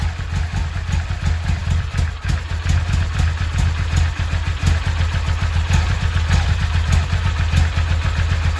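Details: Yamaha XV 535 Virago V-twin, laid up about 10 years: low lumpy beat settling into a steady run with a few throttle blips; runs cleanly.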